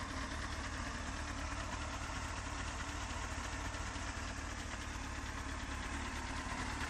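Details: Honda CBR 954RR: light quick ticking about two per second over a busy idle, loudest at front near exhaust manifold; softer cold since oil change, builds as engine warms and with rpm, louder very hot; source unknown.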